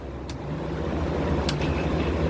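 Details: Kenmore Cool N Lite (GE Carry Cool) window AC, after cleaning and oiling fan, on a cold day: steady low hum with even fan rush, no rattles or squeals; compressor and fan running normally, blowing cold air.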